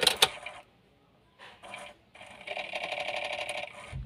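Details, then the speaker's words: Daihatsu Luxio after tune-up, key turned on without cranking about three times: quiet high whirring buzz for about a second then stops cleanly as the fuel pump primes; normal priming. "Nah kurang kurang lebih tiga kaliah on lagi S menenggungnya berhenti baru diok lagi Jadi dia memposisikan plungernya itu ke rumahannya tadi seperti semula lagi"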